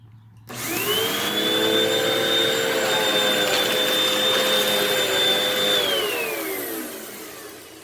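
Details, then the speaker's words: Vacuum cleaner with suspected bad belt: strained, steady high motor whine with no real rush of air, falling away at shutoff; airflow path badly clogged. "Yeah, this is clogged really badly. Really badly clogged."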